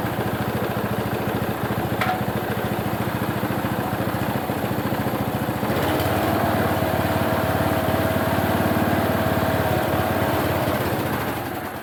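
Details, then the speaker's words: Qualcast mower's small single-cylinder Tecumseh engine, cold oil, not yet warm: fast, slightly uneven thumping, surging and labouring; owner suspects not enough fuel let in or needing choke, cause unclear. "Not happy, is it? I might not have let enough fuel in."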